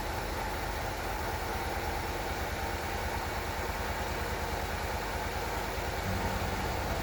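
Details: 1993 Cadillac Fleetwood after in-tank fuel pump replacement, first start once fuel system primed: smooth, even idle with a steady hum, no stumbling, ticking or hunting; running healthy.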